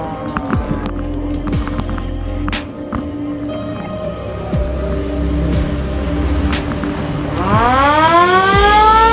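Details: Original factory siren on a VW Kombi Baywindow ambulance: loud wail climbing steeply in pitch and cycling repeatedly over engine rumble; the siren works properly.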